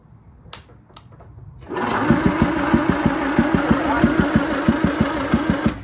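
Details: Land Rover Series 2A rebuilt engine on a makeshift wiring loom and gravity-fed fuel, with spark restored after cleaning the points: even starter chugging about three compression beats a second for four seconds, never firing; cranks but no start.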